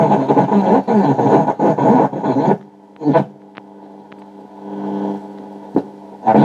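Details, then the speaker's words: 1950 Telefunken Musical 9650a valve radio after recap: plays loud a few seconds then drops to faint hum with brief returns, reception cutting in and out as the UCH41 converter/mixer valve degrades; replaced with a UCH42, which fixed it. "Verás que la radio empieza a ir como a golpes."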